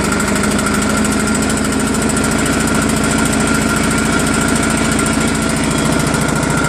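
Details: New Craftsman snowblower PowerMore small engine after cleaning gummed carburetor jets, fuel line and tank; rapid, even putter holding constant speed with no surging or stumbling, healthy after repair.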